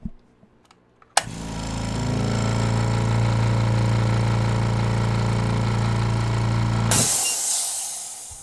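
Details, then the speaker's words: Air compressor used for testing with a high-pressure aeroponics system, one of the quietest available: kicks on, hums at a steady even pitch for about six seconds, then shuts off; smooth and normal, just loud. "So yeah, I mean, obviously on camera, it's going to sound super duper loud, but actually it's the quietest one available."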